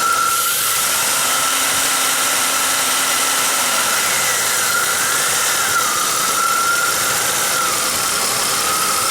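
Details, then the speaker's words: 1995 Pontiac Grand Am 3.1L V6, loose EVAP purge T-fitting on the upper intake plenum with a missing grommet; moving the fitting lets air in, and a steady hiss with a thin whistle comes as the engine speeds way up. Vacuum leak. "as I move that fitting around it opens up a little Gap lets air sneak in there the engine speeds way up"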